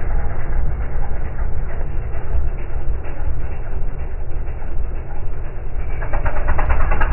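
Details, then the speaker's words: Dune buggy, after a bent transmission mount was replaced and the carburetor cleaned and retuned: it still passes by with an uneven, lumpy, ragged running note and chatter. The front transmission mount and further carburetor work are suspected. "still got a little bit of chatter in it we might look at the front mount on the transmission yeah could use some carburetor work that sounds real bad"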